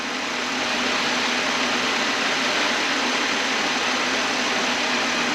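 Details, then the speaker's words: Chevrolet Monte Carlo with a P0420 code and bank 1 long-term fuel trim at 16% idles with a steady airy hiss of air sucked in; vacuum leak, to be located with brake cleaner. "I could hear the suction or the hissing sound from around here."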